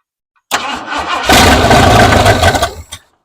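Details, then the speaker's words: 1968 Ford F100 after sitting over five years, Holley carburetor, temporary boat fuel tank: starter churns, engine catches and roars about 1.5 seconds then dies; fuel starvation as the pump isn't pulling enough fuel. "Yeah, it's just not getting enough fuel. I'm gonna try to bottle feed it."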